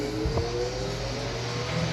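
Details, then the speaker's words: Late-1800s Westinghouse Tesla antique fan, after refitting the blade so it no longer rubs metal against the front bushing: even, steady motor hum with a clean tone, no rubbing or wobble; vibration gone, runs normally. "Love that sound. That's it. Yeah. Vibration is gone."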